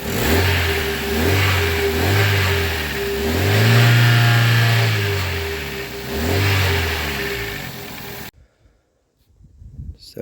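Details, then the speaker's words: Toyota Carina E revving: the engine swells up and down with a rough, coughing rattle on each rise, an exhaust rattle under throttle; the owner suspects the catalytic converter needs looking at. Cause not confirmed. "sounds very smooth when I read the engine now you might hear the cough rattle uh but like I said that's going to be um replaced or or fixed very soon"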